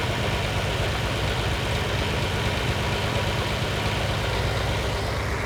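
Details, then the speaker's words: Lamborghini 350 GT V12 (chassis 109, sixth production Lamborghini) after restoration, idle mixtures just tuned cylinder by cylinder to optimum, before first road test since rebuild: deep, steady, even low burble, no stumbles or dropped cylinders; normal idle. "that is pretty lovely that's ready for a run clear it out be lovely"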